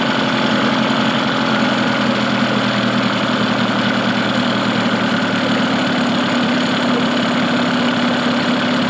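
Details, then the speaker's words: Mercury 15 hp two-stroke outboard built from two non-running motors, good compression and spark: steady, even burble with no misses or knocks, idle a little fast, so the throttle arm idle speed on the carburetor side gets adjusted. "it sounds a little fast right now so i might adjust just the throttle and idle speed on the throttle arm it's located on the side of the carburetor"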